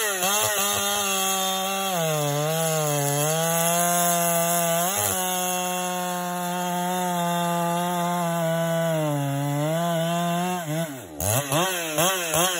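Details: Husqvarna 395XP chainsaw with known piston slap, cutting at full throttle: buzzing note dips and recovers as it bites into wood, runs strong; piston slap hidden under load.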